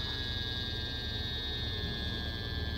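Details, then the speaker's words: Midea U-shaped window air conditioner, fan running with the unit partly disassembled: constant electrical hum with a steady high tone over a low drone; the blower motor itself is the noise source and needs replacing. "so now I know so now I can definitely say okay this this motor is the noisy thing so that's what's got to go"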